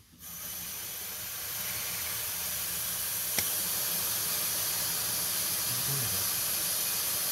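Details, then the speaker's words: 2001 Dodge Ram 2500 Cummins diesel, engine off, intake pressurized to find a boost leak: steady high-pitched hiss of escaping air felt at the fingertips. The intake boot has either slipped off or rubbed a hole. "oh yeah i can feel it with my hand it's blowing against my fingers okay right there it is right there right at the end of my fingertips right in there the boot the boot is either slipped off or she's rubbed a hole"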